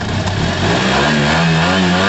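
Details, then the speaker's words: Yamaha TMAX scooter after carburetor cleaning, second start-up, warmed up to temperature with the cooling fan running: smooth clean rise in engine pitch with a steady, even note, no misses or knocks; healthy revving. "It's on, it's working, and I can hear the fan actually blowing."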